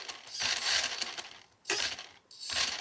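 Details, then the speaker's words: Original 1983 Tamiya Subaru Brat RC car on a stand: bursts of high motor whir broken by gaps and clicking, can't reach full throttle; worn copper contacts in the mechanical speed controller leave a dead spot, replaced with an electronic controller. "You can hear it clicking and clacking, maybe. Let's see. So right now, I can't even get it to go full throttle. I hear it making some noise, but it's definitely got a dead spot, so it's even worse."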